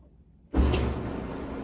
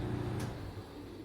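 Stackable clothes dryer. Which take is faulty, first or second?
second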